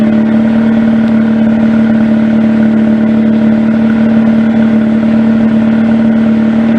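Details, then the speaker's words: 2004 Mazda RX-8 rotary, 105,000 miles, after installing BHR coils, MSD wires and plugs: smooth even idle at constant pitch with none of the earlier popping and crackling. Normal idle. "just nice and steady there's no more of that poppy and crackling and stuff it was doing before"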